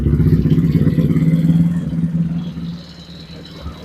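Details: TaoTao 125 children's ATV with electric start, once submerged in a hurricane and revived, running about two years, after replacing a broken starter drive chain and trickle-charging the battery: engine catches and settles into a steady low putter, about three beats a second; normal start and idle.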